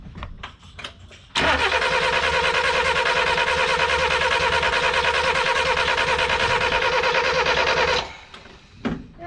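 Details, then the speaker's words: 1988 Ford Festiva after Weber carburetor swap, 13 years sitting: even starter churn about three beats a second for six seconds, no firing; spark shown; owner suspects needs fuel or choke; crank no start. "it is attempting to start it might now just be a matter of a little fuel just a little splash a little choke"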